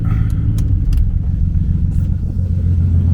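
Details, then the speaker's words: BMW E36 convertible six-cylinder, first start after a cylinder head and cam replacement, running on a jump box with a check engine light still on: a smooth, even, low idle with no knocks or ticks, now sounding like it has all six cylinders. Normal idle. "But as far as everything else, it sounds like it has 6 cylinders."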